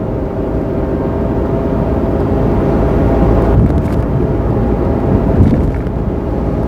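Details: Mazda AZ-Wagon MJ23S gearbox noise: a steady drone with a faint hum over the engine and road noise, pointing to abnormal transmission noise.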